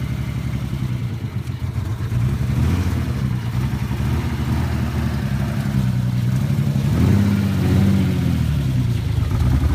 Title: 300zx misfireing unknow reason Doing Full engine bulid